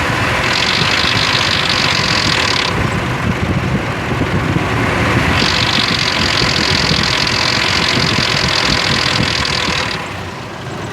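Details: 2003 Ford Explorer at idle: loud, fast metallic clatter coming and going, from bad timing chain guides and tensioners.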